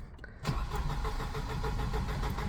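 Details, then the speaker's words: 1988 Volvo 240 with LH2.4 fuel injection during rebuild: brief cranking, then fires and runs unevenly with lumpy pulses, only just catching and dying; owner suspects cold start injector dumping too much fuel. Hard start. "Come on. Maybe the cold start injector's playing up. Dumping too much fuel in."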